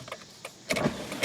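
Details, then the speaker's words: Mazda Tribute (2001–03 Escape/Tribute) with no-start, dead accessories, after swapping a good relay into the ignition switch relay slot: wiper motor whirs into life and runs evenly; faulty ignition switch relay confirmed as cause. "my wipers work. So that was the problem. It was just that ignition switch relay,"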